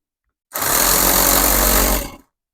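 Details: Coopers 8749 air compressor after strip-down and reassembly of its disconnected pump mechanism, bench-powered at 5.1 A maximum, not connected to a tire: brief steady buzzing run under two seconds, even pitch, no knock or stall; pumps normally.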